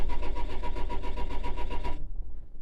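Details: 2004 Renault Trafic 1.9 dCi diesel with fault code DF195: starter turns engine over at an even, quick beat for two seconds, then quits without firing; crank, no start.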